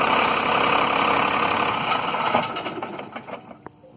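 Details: 1993 Dodge Cummins diesel truck with rough idle and low power, shown with fuel pressure reading: engine idles rough, stumbles into uneven chugs and sputters, cutting out periodically; owner suspects the lift pump, cause unconfirmed.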